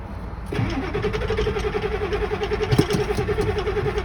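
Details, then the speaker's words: 7.3 Powerstroke diesel, cold start after sitting about two weeks in colder weather, key cycled until wait-to-start goes off to heat glow plugs, clutch pressed: steady whining cranking without catching. Cold hard start. "Sometimes you gotta cycle the key when it's a little bit colder outside and the truck hasn't been started in about 2 weeks. Just cycle it until wait to start turns off. It's heating up your glow plugs."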